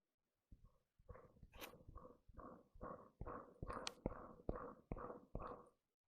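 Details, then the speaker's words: Land Rover Defender pulley (left-hand thread) spun by hand, dry and worn: gritty, rumbling hollow whirr on about ten spins, bearing needs replacing; belt still squeaks afterward though less. "yeah it's definitely going to need new bearing that'll do for now though usable this spins is a little bit noisy"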